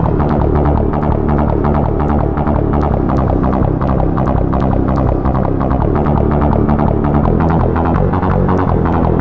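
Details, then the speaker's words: Roland CM-64 with first ROM version 1.00 playing synth music: small clicks and pops between notes, unlike a correctly sounding unit. "That's the very first one with the very first ROM version 1.00. And you'll hear you notice like a clicking and a popping in between the notes."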